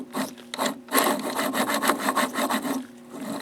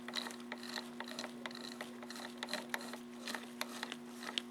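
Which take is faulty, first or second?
first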